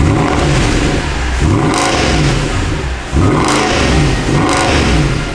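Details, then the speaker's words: Mercedes E63 AMG bought wrecked, revived with new pulleys and a belt. Its V8 gives a deep burble through several sharp free revs that climb and drop cleanly with no knocks or misses; the engine sounds healthy. "Now that's an engine, >> dude. That sounds crazy, man."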